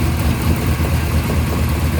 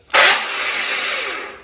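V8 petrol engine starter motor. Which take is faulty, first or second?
second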